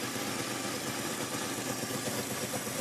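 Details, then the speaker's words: Classic Pontiac that sat about 30 years, after solvent treatment and a hard run without overheating: an even, steady idle with no knocking or misses. It still smokes slightly, and the number-three cylinder is suspected. "Runs like a Swiss watch. And I ain't kidding you."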